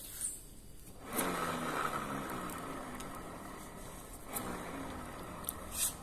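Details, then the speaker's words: Honda Vario 125 LED New scooter with rough grinding CVT noise worsening with speed; rear wheel spun by hand with rear pulley removed gives a soft, even whir, showing gearbox and final drive bearings are smooth and undamaged; noise traced to rear pulley. "E di bagian gearbox ataupun di bagian rasio itu tidak ada kerusakan karena masih halus ya masih bagus suaranya"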